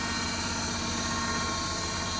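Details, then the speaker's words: Loading shovel hydraulically driven cooling fan, overheating, at start: steady harsh hydraulic buzz, fan trying but failing to reach speed, sounds like something slipping; fan motor suspected. Slipping hydraulic cooling fan drive. "It's trying to go around, look. Sounds like something's slipping."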